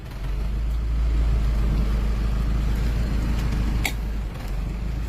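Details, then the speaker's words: 1996 Toyota Corona automatic: deep, steady idle rumble with an even beat, no rattling or knocking and no smoke from the tailpipe; the engine idles normally. "มีเสียงเพราะๆนุ่มๆนะครับอ่าแต่เดี๋ยวนี้ไม่มีควันออกท่อนะครับ"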